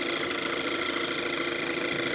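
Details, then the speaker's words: 2014 Kia Forte EX engine running with the accessory belt removed: steady hum with a constant bad high-pitched squeal, so the belt is not the cause; intake manifold looks intact; owner suspects a vacuum leak. "there's no belt yet it squeals bad what is that man what is that I can't let it run long because it doesn't have the belt on it"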